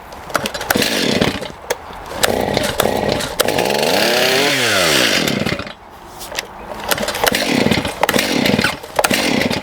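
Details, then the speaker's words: Stihl MS291 chainsaw that had been running lean, carb mixture screws now backed out too far: revs unevenly, burbling and sagging instead of screaming; running too rich, so the L and idle screws get turned in. "Okay, it's running a little too rich, guys. I've turned out the screws a bit much."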